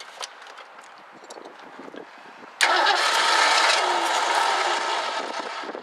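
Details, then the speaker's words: 1984 Ford Mustang GT350 barn find: quiet cranking, engine catches and runs briefly on poured-in fuel then fades; spark confirmed constant, so fault is the carburetor. "definitely still spark nope I'm not losing spark so that's not the issue it's it's got to be in the carburetor"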